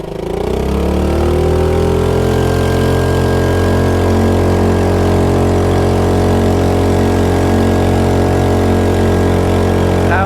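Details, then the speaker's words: 2.3hp air-cooled four-stroke petrol outboard with centrifugal clutch, on an F275 rib at full throttle: loud, steady high-revving drone with a strong low hum and faint whine, even and smooth; healthy but very noisy flat out, with no underwater exhaust to deaden it. "Frankly, I can't even hear myself talk at that speed, so it is really quite noisy when you're flat out, whereas when you're cruising, it's perfectly acceptable."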